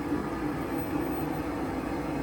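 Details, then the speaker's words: Oil-fired hot-water heating furnace after replacing a bad Taco zone valve head that left back bedrooms cold; circulator started after a delay: steady even roar with low hum underneath, no pulsing, sputter or rumble; burner firing normally. "Anyway, they have heat now. Zone head replaced. Furnace firing. Problem solviendos."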